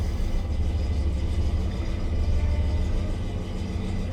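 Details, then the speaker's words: 1972 Rover P6 3500 V8 automatic, about 492 km driven since revival, cold start: deep uneven puffing idle rumble chuffing out the rear silencer body instead of tailpipe; holed back box, replacement planned. "but most of it comes out right there oh it doesn't sound that good but we'll do something about that"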